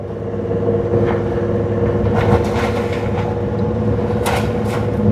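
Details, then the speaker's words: 1999 Toyota 4Runner on road test with microphones at right rear hub, brake applied while slowing: steady driveline drone with sharp clunks on deceleration; suspected play in inboard spider gear in differential case, end play found. "okay try try doing it on this stretch here it's definitely coming from the the right rear corner everything's new in there oh well go back and move the microphones to the right rear that's the noise"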